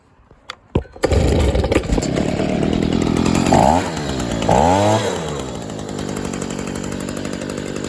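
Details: 2011 Stihl SH85 shredder vac leaf blower after new spark plug, fuel filter, fresh fuel mix and slight carb adjustment, started on half choke: pull-cord tugs, catches, two quick revs, then a smooth steady buzz; runs well.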